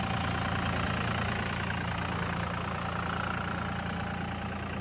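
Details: 1999 Dodge 2500 5.9 24V Cummins started around -3°F in Iowa, unstarted for weeks: steady, fast diesel clatter at even high idle with a rough, uneven beat, the normal cold three-cylinder high-idle warm-up mode.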